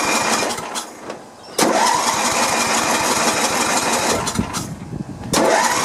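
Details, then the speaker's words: Sears LT1036 lawn tractor, Tecumseh engine, sat at least two years, 2-cycle oil sprayed in: long ragged cranking, never fires; no spark found, magneto to be checked. "Maybe no spark. What do you think? Let's check and see. Alright, let's check for some spark here. Alright, you see that? No spark."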